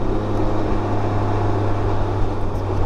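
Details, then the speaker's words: 2019 Can-Am Ryker Rally at idle. A light, fast clatter from the top end over a steady idle; mechanic suspects hydraulic tappet/lifter noise, mild but more than usual. "I hear some little bit of lifter noise when it's idling."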